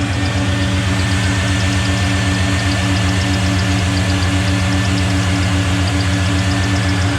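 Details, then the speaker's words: LS1 V8-swapped Nissan Patrol GU with exhaust leak fixed: steady even idle with smooth low rumble, no exhaust puffing; power steering pump squeaking a bit, water on pulleys from radiator washing; normal idle. "nice oh idle's nice the power steering's making a bit of a noise and there's a bit of water on the pulleys"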